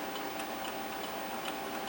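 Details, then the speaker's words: Zenith Z-19 (Heath H-19) serial terminal with a blank display: crisp, evenly spaced key clicks over a faint hiss with the offline/local echo switch set; the key-click circuit and logic board are working. "You can hear the key click, and if we hit Control G, it should play a bell."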